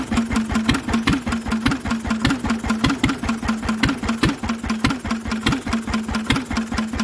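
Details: Lister engine on its first start in 40 years, on a little choke while the fuel needle is balanced: slow, even single-cylinder thump about 2.5 beats a second with a sharp, noisy exhaust bark; steady and healthy, no big-end knock.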